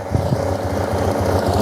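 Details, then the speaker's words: Yamaha TMAX scooter, revived project, after bleeding the cooling system: slow, uneven low thumping at idle; idle too low and rough, later raised by turning the idle screw clockwise. "Finished bleeding the system, but the problem is the idle is kind of low."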